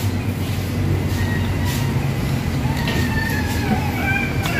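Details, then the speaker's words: Ford Ranger 3.2 diesel before full overhaul, idling: rough, heavy idle with a dull knock beneath it; very loud piston pin knock, worst at cylinders 3, 4 and 5; pin is failing and the liner is also damaged. "So napakalakas talaga ng piston pin knocking."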